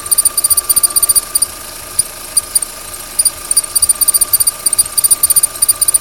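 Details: Opel Z16XEP engine running: sharp high-pitched chirps about three a second over steady engine hum, accessory belt squeal with unclear cause: belt squeal.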